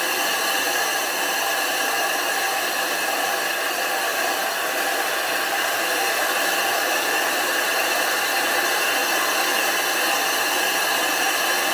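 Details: 25-inch F3 telescope mirror blank, back being ground flat after thinning from 2 in, on a grinding machine running continuously with silicon carbide abrasive and water, swarf building up. A steady, even gritty hiss with no knocks or catches: normal mirror grinding.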